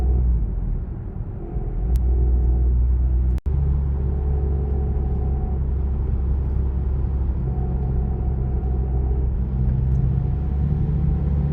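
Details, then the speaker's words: VW-group car idling with a low rumble and wavering whirr from a disintegrated clutch release bearing heard when declutching; its plastic particles were found in the bell housing. "Und das ganze Lager, das macht auch ordentliche Geräusche. Also das hat sich mehr oder weniger schon zersetzt."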